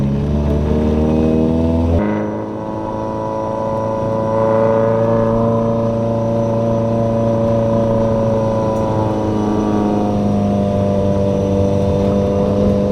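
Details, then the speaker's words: Corolla with 4.8 GE swap, clutch slipping earlier, test drive after moving the master cylinder adjustable arm/screw all the way back: a quick rev drop at the shift, then a smooth steady climb under load with no slip; clutch engages properly. "Alright, so you guys just saw the footage of me driving it after adjusting the screw all the way back, and it seems to be engaging and releasing at the proper point."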